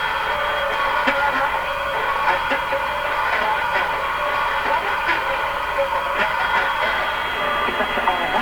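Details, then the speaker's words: RCA Victor A23 Canadian-made tube radio, audio capacitors already replaced, playing music: harsh, fuzzy mids with almost no bass, persistent rasp; speaker confirmed in big trouble, repair to be attempted. "okay there's no question the speaker is in big trouble in this radio there's no question about it"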